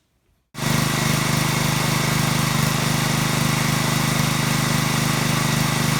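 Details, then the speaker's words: Small-engine pressure washer after cleaning the carburetor's internal pilot jet to cure surging: it starts and settles into an even, steady beat with no RPM hunting. Normal idle after the fix. "night and day runs absolutely smooth no surging no hunting no waffling no RPMs going up and down it runs nice and smooth"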